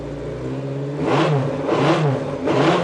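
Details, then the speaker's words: Kawasaki 550 motorcycle after ignition work and rewiring to the coil, previously misfiring when cold and lacking power; engine blips up three times and drops back cleanly, smooth even note without misfire or clatter; normal running and revving. "so of course the important thing is does it start and run well I can say that it has because I've double checked but you guys probably want to hear it"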